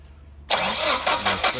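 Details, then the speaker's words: CAT forklift, EMCO system, that sometimes starts only after pumping the pedal: steady cranking with uneven bursts while brake clean is sprayed at the throttle body, almost catching but never settling. Hard starting traced to a vacuum leak. "so this one we're dealing with a vacuum leak"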